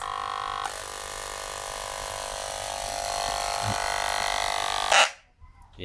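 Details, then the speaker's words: Makita JR3050T reciprocating saw that had jammed, reassembled: motor screams at a steady high pitch with a rough, grating edge, but the blade end does not move. The owner suspects stripped gears in the gearbox. "so it so it is moving but it's something's jammed"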